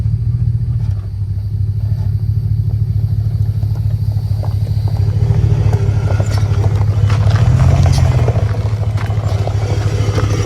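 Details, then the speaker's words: Truck with a mid-travel suspension kit creeping forward: low rumble with an awful uneven rattle from underneath, sounding like it comes from the rear axle; cause suspected, not confirmed. "We're about to find this noise because it is awful sounding. Let me get Lauren to pull the truck up, see if we can kind of pinpoint it. Sounds like it's coming from the back axle."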